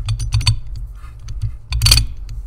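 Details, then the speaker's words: No-spin differential demonstration with the outside wheel overrunning on a turn: quick bursts of light metallic clicking over a low rumble. Normal ratcheting, because the dog clutches barely disengage; on heavy equipment engine noise masks it. "now that noise you hear that is normal this thing doesn't unlock a great distance it barely disengages the dog clutches and so you'll get this ratcheting noise out of the actual differential"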